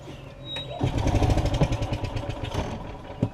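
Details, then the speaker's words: Yamaha gas golf cart, cranking on battery with the choke on, bowl and jets not yet cleaned: slow cranking with one or two weak catches that never take; it is getting some fuel, owner suspects a main jet issue. "it does fire that one time if y'all can hear it you hear it so it means i am getting some fuel here"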